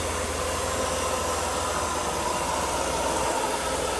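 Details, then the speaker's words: Mercedes W124 M103 after a water pump and cooling-system job with the valve cover painted, just started before warm-up: steady, even, quiet idle hum with a faint hiss and no knocks, misses or surges. Normal idle. "That sounds pretty quiet. Hopefully I did a good job. Let it warm up and probably could add more coolant to it. Wow, smooth. Sweet."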